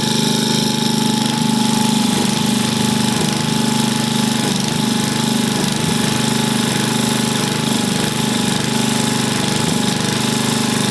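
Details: Vintage engine, a free neighbor engine just reassembled with its carb cleaned, on first start with the choke held by hand: a loud, fast, slightly ragged popping beat of about 3.5 per second. The unlinked choke plate flaps and makes it run unevenly.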